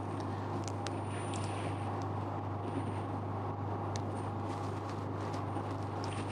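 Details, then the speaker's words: Lithography spin coater with its vacuum switched on to hold the wafer before spinning at around 4000 rpm: a steady low hum with a few faint clicks; the vacuum pump is running normally. "then we have the option to switch on the vacuum you can hear a humming sound right."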